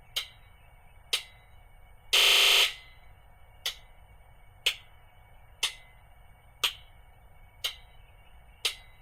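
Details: International DT466E diesel truck with a cold-start misfire, after sitting over 24 hours: injector buzz test gives one long buzz, then sharp ticks about once a second as each injector clicks in turn. All six now heard, previously only two.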